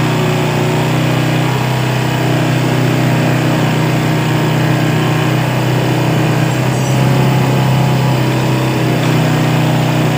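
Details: Yamaha Vega R motorcycle after carburetor service for a carburetor complaint, carb reinstalled: even, steady low putter at constant idle with no stumbling or hunting; engine now normal idle.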